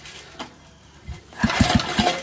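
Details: Old Montgomery Ward tiller bought at auction, air screw about 1¾ out, full choke, full tank of fuel: quiet, then a few sharp pops about every fifth of a second as the small engine catches and starts firing.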